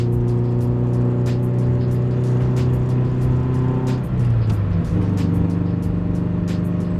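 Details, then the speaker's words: Toyota 86 cabin while driving: a steady drone with faint irregular ticking from a loose gear shifter, rattling only around one engine RPM and easing after the shift. The shifter needs replacing or fixing. "only at a certain RPM though I thought I can like be okay with it I'm just still not all right with it so at some point we're going to get rid of this shifter or figure out a way to fix this from happening"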